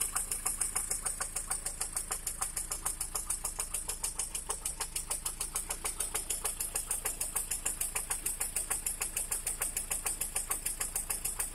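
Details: Lada Priora after the factory piston set was replaced with a gapless one: sharp, even knocks about three a second over the idle, a hard diesel-like clatter; engine knock, cause not yet confirmed.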